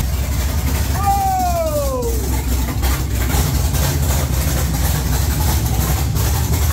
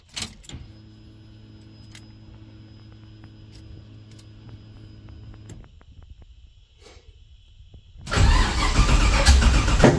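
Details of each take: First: 1969 Camaro with swapped LS3 V8, Holley ECU speed-density startup tune, open headers: deep, lumpy, loud big-cam idle holding steady on its own, sounding like a pro stock car; normal idle. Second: 1969 Camaro with LS3 swap on a Holley ECU, first start: lumpy uneven idle cuts out, then loud popping and crackling; a whole lot of backfiring and sputtering.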